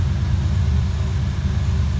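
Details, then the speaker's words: 5.0 Fox Body Mustang after ECU repair: steady even low rumble, cold idle holding on its own without throttle, slowly lowering; previously it stalled without holding the gas; normal cold idle. "i didn't touch the gas at all that's encouraging so it's got uh cold idle now it wouldn't do that before no"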